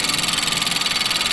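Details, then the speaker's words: Nissan just after blow-off valve installation; short steady idle, even pulse with some hiss, no misses or knocks; idles fine and doesn't stall after install. "Let it idle. Notice it didn't stall out. Still idling totally fine."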